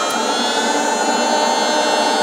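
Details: 2007 Mazda RX8, 1.3 L rotary, with codes P0411 and P2259 after four air pump replacements: steady whirring air injection pump tone whose pitch shifts as the air valve is opened with vacuum, so pump and valve work normally.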